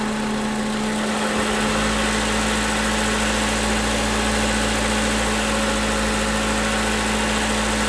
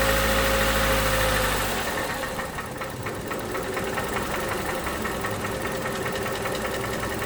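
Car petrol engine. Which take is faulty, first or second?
second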